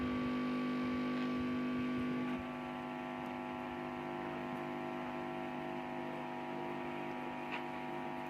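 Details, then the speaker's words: SKG microphone amplifier after repair of two blown amplifier-stage fuses that left the stage unpowered (turned on but no speaker sound): speaker connected, low steady hum, no crackle or distortion; amp working normally again. "ก็เรียบร้อยนะครับเป็นเพราะว่าฟิวส์นะครับฟิวส์ของภาคขยายเสียงขาดนะครับ"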